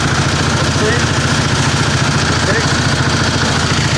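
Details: 725 small engine driving under its own power with a little throttle after sitting a long time. An even single-cylinder thump of about three to four beats a second, with no misses or knocks while pulling. It runs normally under load.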